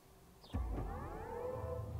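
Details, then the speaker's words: BMW iX1 eDrive20 Sport Line electric SUV switched on with the brake pressed: a soft rising synthetic swell with gliding tones. Normal electric startup sound, though the driver calls it strange. "Şu anda çalıştı. Böyle çalışırken garip bir ses yapıyor."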